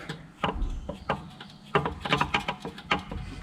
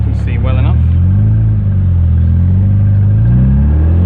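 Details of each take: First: Removed differential from a K-series MG Midget suspected of causing a whine, turned slowly by hand: irregular dull clunks, a few per second with uneven gaps, suggesting play; knock suspected, not confirmed as the noise cause. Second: K-series MG Midget driven on headcam after replacing a whining differential with a lower-ratio one; revs rise and fall through the gears, clean on lift-off with no whine; the old diff was the cause, not the gearbox.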